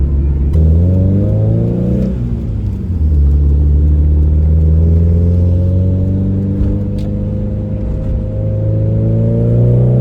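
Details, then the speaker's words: Hyundai Excel driving pull, windows down: pitch climbs smoothly with revs, deep even exhaust still decently loud but no longer raspy as before; exhaust now sounds better and healthy. "doesn't sound amazing, but it definitely sounds a lot better than it did before, so I think I'm pretty happy with that actually. It was just so raspy before, and I like how it's still decently loud."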